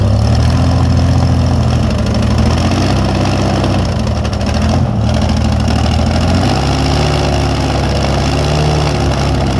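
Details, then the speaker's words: Airboat engine, warming up after first fire: loud low drone that wavers and hunts, rough running. Carburetor bottom leaking; owner suspects a dirty bowl or a carb needing rebuild from sitting. "maybe the card needs to be rebuilt from sitting yeah maybe the bowl is all full of [ __ ] because I can't see"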